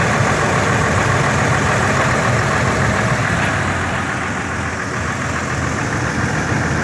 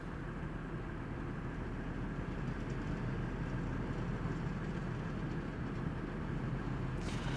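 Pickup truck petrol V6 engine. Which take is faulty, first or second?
first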